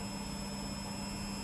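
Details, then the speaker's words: Beko WTG620M2W slimline washing machine, empty drum (no load) spin on uneven floor: steady low motor hum, constant pitch, no knocking or scraping; possible slight drum wobble but doesn't sound bad. Normal spin cycle. "i don't know it doesn't sound too bad it doesn't have a load on"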